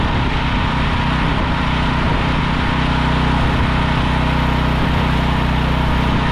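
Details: Briggs and Stratton 5,000 W generator that sat in a field, after carburetor cleaning; issues were broken pull start and low oil: steady, constant governed drone, no misses, surging or knocking, some smoke; running clean.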